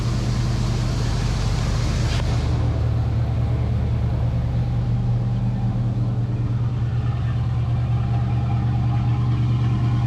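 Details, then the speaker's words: Foxbody Mustang 5.0 after cleaning the dirty EGR valve that caused a year of rough idle and surging: low, even rumble settling to a steady idle around 1000 rpm with no stumble or surge; it previously stalled. Normal idle. "the idle is already better creep previously the car would have just stalled out but with that clean EGR valve it is uh it's idling right about thousand"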